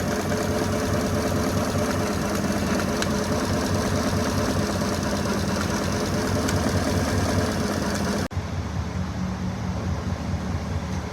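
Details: 2016 GMC Sierra V8 at an unstable idle, with a stumble about twice a second breaking the beat. Misfire on cylinder number 7; the last valve is said not to be pulling.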